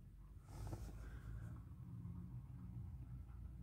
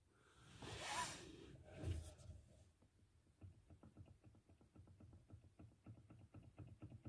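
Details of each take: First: Car after tightening a loose bolt that made what seemed a steering rack knock, worse over bumps: low steady rumble, knock gone, front end quiet. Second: Steering rack knocking, worse over bumps: after rustling, quick light uneven clicks and knocks; cause was not the rack but an untightened mounting bolt; tightening it stopped the knock.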